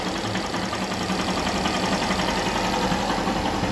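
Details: 2018 Honda CG 160 Start, after rebuild for damage from lack of oil, with new clutch and valve seals: quick, even single-cylinder putter at about 220 beats a minute, slightly uneven but free of knocks or rattles; quiet, healthy idle.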